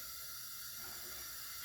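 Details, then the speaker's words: 1970 Porsche 911T 2.2L flat-six, out of the car, during a leak-down test holding 85 of 90 psi; a soft hiss at the vent breather shows leakage past the piston rings, not catastrophic, possibly from poor lubrication after sitting. "but I can actually hear it coming out of the vent breather here so that's leaking past the Rings now this is not catastrophic"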